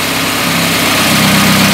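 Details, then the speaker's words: Carbureted petrol car with second-generation LPG kit, running on gas with the reducer warm, as the reducer is leaned. Steady idle whose tone sags and shifts. Revs start to fall from a too-lean setting. "так начинают обороты падать то есть потихонечку мы начинает душить"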